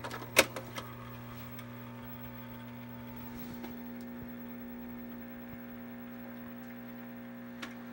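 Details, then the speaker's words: Sharp Twin Famicom in disk mode with a disk inserted: quiet steady hum and a few light clicks, no seek or read noises, drive not loading; owner suspects a failed drive belt, unconfirmed. "so far nothing it's not uncommon at all that on these Famicom disk systems that the drive belts fail"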